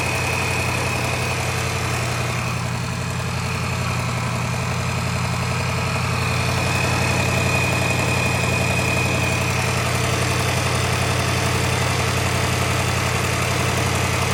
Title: L405 Range Rover 5.0 Supercharged Timing Chain Noise (Tensioner Failed)